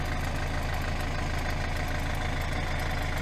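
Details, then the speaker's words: 2012 Hyundai i40 1.7 diesel at idle, belt already replaced without help: light, slightly uneven single ticking a couple of times a second at the front, suspected to be the alternator clutch pulley, due for replacement. "the alternator pulley is with the clutch and very often the clutch and these make just damage so that's the noise it's like single picking"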